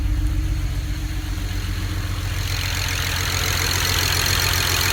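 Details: 2008 BMW 135i with the N54 engine idling on five cylinders: shaky idle stumbling about four times a second. A bad cylinder 6 injector caused the misfire and made the car nearly undrivable.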